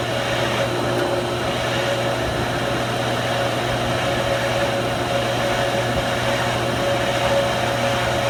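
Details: Pool pump: steady motor hum with a rough, gritty grinding running evenly underneath throughout; grinding noise, cause not yet pinned down.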